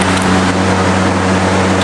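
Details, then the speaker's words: Old generator, believed Generac or Coleman, first start after long disuse, hot: uneven rough running with low drone and irregular roughness; owner fears internal failure such as the piston rod, unconfirmed; hard starting. "It does not sound healthy. That engine is making some pretty nasty noises."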